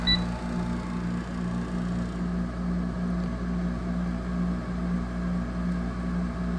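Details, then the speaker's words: 2008 Frigidaire 6500 BTU window air conditioner FAA074S7A (Electrolux), compressor running at coldest: steady, fairly loud low hum and drone with faint wavering rhythm. "so you can hear just how noisy this thing is that's about as cold as it'll get"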